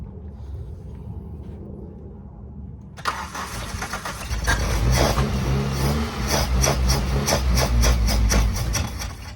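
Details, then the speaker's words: Suzuki Swift 1.6 AWD five-door saloon, long unstarted: the starter churns steadily at about three turns a second but the engine never fires; no fuel suspected, owner thinks the previously seized fuel pump may have seized again. "does that sound like a no fuel to us"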